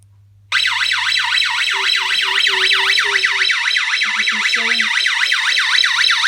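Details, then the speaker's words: Scantronic 9448+ intruder alarm set with no entry delay, so moving past the PIR instantly triggers a loud siren sweeping up and down about four times a second, working correctly; the Ventcroft strobe's tube is burned out. "Now if I move, it's not on entry delay, so if I move, it'll instantly go off."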